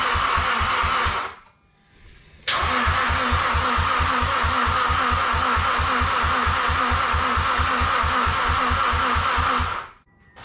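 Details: Mazdaspeed6 with new alternator, port injection disconnected: one short crank, then seven seconds of even starter chugging about five beats a second, never fires; crank-no-start, suspects lost compression, crank or cam sensor or faulty ECU.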